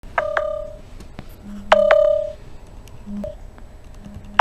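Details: Samsung Galaxy phone on charger: sharp repeating double beeps warning moisture detected in USB charging port, likely condensation.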